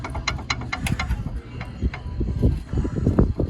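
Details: 2010 Chevrolet Silverado, upper control arm worked by hand before replacement with extended aftermarket arms: irregular dull clunks and metallic clicks point to a worn, loose suspension joint. That side's wheel bearing was replaced weeks earlier. Cause suspected, not confirmed.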